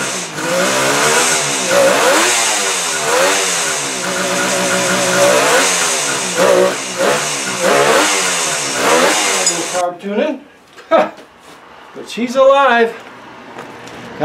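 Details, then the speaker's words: Engine started for the first time since it was believed last run in 1979, after carb cleaning and crankcase check: revs up and falls back repeatedly with an even, clean, tight note and no rattles or knocks; runs healthy. "that's amazing just totally amazing motor sounds uh nice and tight no big rattles so how cool is that"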